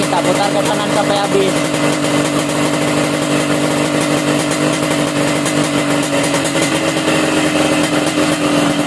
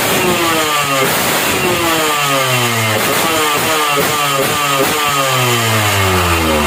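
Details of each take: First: Warm standard motorcycle with the carburetor air screw turned fully closed: loud idle with a choked, stuttering, uneven exhaust beat; stumbling idle from off mixture before lean/rich adjustment. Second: Standard motorcycle on lean ("dry") carburetor air-screw setting: quick throttle blips climb and fall back cleanly, revving very light and crisp with no bogging.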